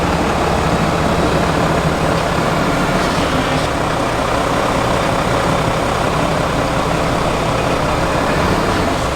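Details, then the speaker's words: Brand-new replacement Cummins diesel in a Ram HD, about 60 miles, fitted after the original threw a rod through the block at 4000 miles, needing break-in: smooth, quiet even idle, steady low rumble, no knocks or misses; healthy. "so what did you guys think about that so that brand new common sound is so good nice and quiet"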